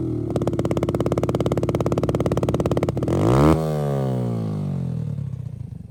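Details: Motorcycle after a ZSF-to-YBR EFI conversion that has passed its MOT; a crisp, even single-cylinder idle and a quick, clean blip that climbs and falls back smoothly. Normal running.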